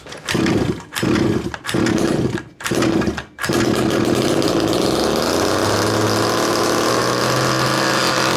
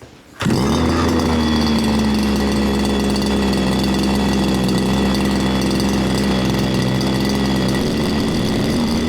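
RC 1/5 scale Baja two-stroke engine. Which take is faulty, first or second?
first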